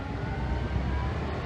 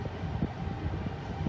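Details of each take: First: Ford F-150 running with AC on, throttle blipped after some refrigerant released (low side under 200): thin steady whine from the AC compressor over engine rumble; new compressor and expansion valve on hand. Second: Ford F-150 after some freon was released to bring the low side under 200: a brief rev over a steady rumble, a compressor whine still present, and the cooling fan running at normal speed, not stuck on high; the AC is still cold.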